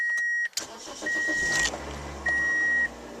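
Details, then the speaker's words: 2003 Pontiac Vibe after exhaust pipe holes from a pothole strike were patched with stove and furnace cement; engine cranks, catches and settles into a quiet, even idle with no exhaust puffing or ticking, chime beeping; normal idle, much quieter. "all right nice yeah quiet 100% better"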